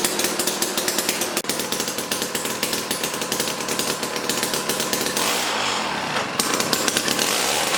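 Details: Jiffy Stealth STX 10-inch ice auger, 3 hp Tecumseh two-stroke, after fresh 91 non-ethanol fuel, started on choke: loud high-pitched buzz holding steady revs with crisp even firing; running good.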